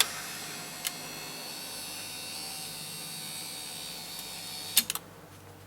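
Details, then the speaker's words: 2005 Toyota Highlander front driver power window motor, removed from the car and bench-tested on its regulator with accessory on: thin high whine, then it cuts off with clicks mid-travel. The motor stalls and stops moving. "now up and then it stops I like move is the doesn't move anymore no it's not moving now"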